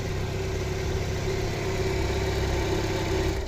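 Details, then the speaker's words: Petrol car with an intermittent crank-no-start, idling with an oscilloscope plugged into the ignition coil connector: steady, even low hum with no misses. It runs fine until the probe is pulled and it stalls; the fault was coil-pack connector pins not making contact. "up and it starts up with your cell scope plugged in and Run's perfectly fine no issues whatsoever"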